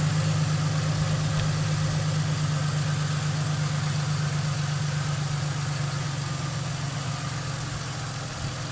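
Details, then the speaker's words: 2005 Ford Mustang, rebuilt and retimed donor engine just after first start following about 3 years sitting: steady even low idle that settles down, no knocks, misses or wavering, no dash lights, healthy. "Oh yeah. That is sweet, guys. You hit her idle right down. Perfect."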